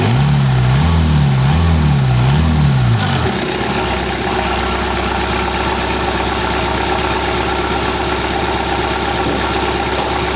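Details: 1.9D DW8 diesel after replacing leaking injection pump advance solenoid valve, cold: brief rhythmic surge then steady even idle with light regular tick over clatter; normal idle.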